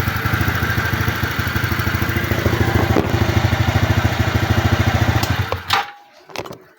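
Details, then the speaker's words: TVS Ntorq 125 scooter after valve clearance adjustment and timing chain tightening: a quick, regular putter of about three beats a second with no tinny rattle, then it shuts off. The earlier engine noise is resolved. "So ayun mga boss, troubleshoot ko na yung motor, resolved na yung ingay niya, wala nang kalansing."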